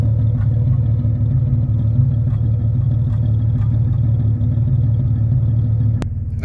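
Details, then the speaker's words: Year 2000–2001 Jeep Cherokee XJ 4.0L inline-six idling a few minutes after new spark plugs while the computer relearns; deep even low rumble with steady beat, no misses or ticking, healthy idle. "it's been a few minutes engines running good"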